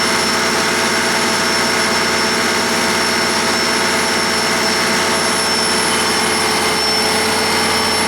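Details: 1959 Caterpillar D337F diesel generator set, ex-hospital, barn-stored 10–12 years, about 959–960 hours, running with no load and barely at operating temperature: steady, even run, constant pitch, hissy top end, no knocks or surging; normal running.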